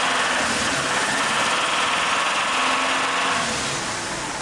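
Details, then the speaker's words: BMW 320i, N46 engine, fault codes cleared, revved via remote throttle: sharp metallic tapping, three or four per second, from inside the engine; suspected balance-shaft or oil-pump play, to be checked by draining oil and removing the sump. "Se você escutar não aí Abatida de metal né aqui pode ser duas coisas o Web ela ou é a própria bomba de óleo que tirou folga aí nos contrabalanço e tá batendo"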